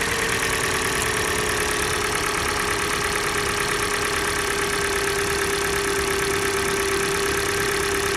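Cold idle with a steady light tapping about three per second over a hissy engine note; a knock whose source isn't pinned down yet.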